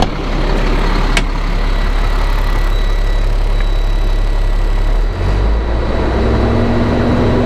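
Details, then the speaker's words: Caterpillar C7 diesel after turbo replacement (had smoking, cutting out, suspected dead cylinder): steady, even idle with a low constant rumble and no knocks, misses or hiss; runs normally. "yeah everything seems to be uh you doing good sounds good Run's"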